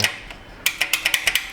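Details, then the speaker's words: 2006 Honda Accord, towed in with no crank, new battery, starter fed 12 V via jumper wire: rapid uneven solenoid clicks, no cranking despite power at starter; voltage loss on power or ground side suspected. "so there we are so we hear the starter solenoid clicking but nothing's happening we've already checked it we have power here but nothing's happening"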